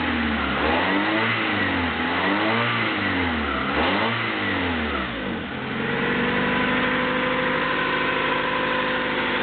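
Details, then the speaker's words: 1995 Honda Accord EX, 2.2 L SOHC VTEC four-cylinder, 206,000 miles, rebuilt a couple of years ago with new rings, bearings and valve stem seals: engine blips up and settles back, smooth even pitch climb and fall, no knocks or rattles; healthy. "So yeah, still seems to be a good Honda B22 engine."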